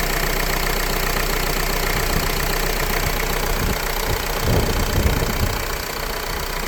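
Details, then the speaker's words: Renault Laguna 3 2.0 dCi diesel, now hot, during a timing chain job: steady idle clatter with an even beat. The rubbing noise heard when cold is gone, with no rattle from the engine front; normal idle. "le bruit là il le fait plus avant un froid il le faisait ça faisait un bruit de frottement et là j'ai plus brûlant"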